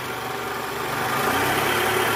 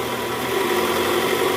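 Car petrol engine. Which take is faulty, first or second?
first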